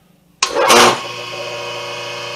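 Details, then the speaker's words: 5 HP rotary phase converter idler motor (1740 rpm nominal, wired in Y) started by holding the momentary button for one to two seconds: a clack and a brief surge, then it settles into a steady, even hum at speed, a healthy quick start. "so that that's it i mean what's that motor is up to speed this is a 1740 rpm nominal motor it is wired in the y configuration"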